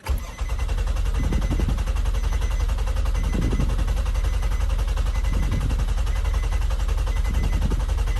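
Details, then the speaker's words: 4.1 L stroker Nissan Maxima, fresh JWT cams, ported heads and Holley Hi-Ram, first crank with the fuel injector switch off: steady, even starter churn with regular compression pulses and no firing; a normal, healthy crank. "It's cranking. It sounds pretty good, actually. That sounded pretty good, guys. The crank did sound pretty good."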